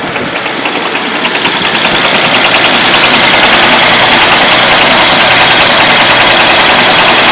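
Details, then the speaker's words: Engine idling with a worn rod bearing: a sharp regular metallic knock at roughly 200 a minute keeps time over the idle and gets worse; connecting-rod bearing failure. "Hear that? Literally a knocking sound. Let me shut it off. So now it's getting worse."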